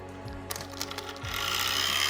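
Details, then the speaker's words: Model train locomotive from an auction lot on test track: lights up, small motor whirs with a harsh, rough grinding buzz but the loco does not move; something in the drive is broken. "And you can hear the motor running, but something else is not working. Something's broke."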